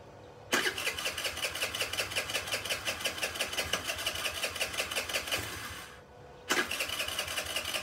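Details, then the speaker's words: Chinese 50cc Geely two-stroke scooter revived after sitting: barely ticking over with an uneven popping idle that stumbles and dies, then catches again; rough idle. "and I can't believe it's kind of idle it's amazing"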